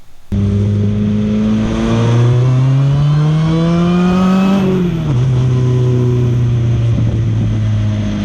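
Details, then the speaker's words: Goblin race car's replacement engine, running naturally aspirated after turbo and supercharger failed, turbo adapter on supercharger manifold: revs climb slowly in a smooth drone then fall away, no knocks; holds wide open but makes no power; engine found bad. "It's still not great, but I can stay wide open as long as I want. It just doesn't make any power at all."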